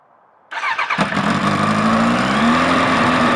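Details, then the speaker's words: Suzuki Bandit 1200 first start after fitting a manual cam chain tensioner and clutch work, Max Torque silencer with baffle in: starter churns briefly, then the engine catches and settles into a loud, even, deep burble; runs healthy. "goes right there we we go so the max talk can still got the baffle in and uh still sounds pretty fruity to me"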